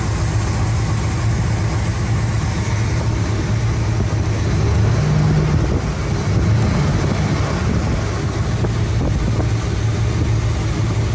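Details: 1975 Cadillac Fleetwood V8 idling about 5 minutes with valve covers off during gasket replacement, being checked for oil reaching the top end (it does). Low, even burble, steady rhythm, no knocks, ticks or misfires; normal idle.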